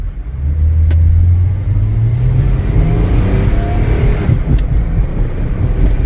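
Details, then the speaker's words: Mercedes E300 with OM606 turbodiesel, driving under hard throttle with window open: deep diesel pull with faint whistle rising as turbo spools cleanly, boosting properly; later check engine light returns and boost is lost again. "oh it's just boosting perfectly [Music] oh man let's open that window so you can hear the turbo spool let's give it the beans"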